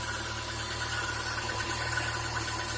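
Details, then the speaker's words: Chevrolet Niva engine at idle, upper covers removed: even idle with a low hum and soft, dry rustle over it; extraneous rustling suspected from the water pump or tensioner pulleys, to be checked. "наличие посторонних звуков и шелеста не всегда сразу видно и слышно но выявить надо однозначно"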